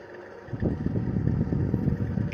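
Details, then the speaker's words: Indoor AC unit fan with a "krek-krek" complaint spins up with a rough, uneven low rumble and fluttering pulses; very rough, likely the bearing, to be disassembled and cleaned and lubricated or replaced. "Untuk kerusakan ini kemungkinan di bearing ya. Tapi ini ya terdengar ya, ada kikik di sini."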